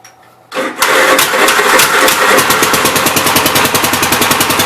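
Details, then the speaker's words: 1969 Gravely C8 tractor, repaired for no high range, throttle cable adjusted for high idle, started next morning: cranks briefly, catches within a second, settles to an even single-cylinder beat about three pops a second. Healthy start. "seems like it's working and running pretty good guys so uh i think we got this one licked"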